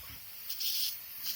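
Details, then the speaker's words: Rebuilt air compressor left pressurized: sharp high-pitched hiss in short bursts over a quiet background, air escaping at the gauge threads, which were screwed on without sealer; fix is to remove and seal them. "if I I remember now I didn't put that gauge on properly I just screwed them on without putting any additional sealer on it"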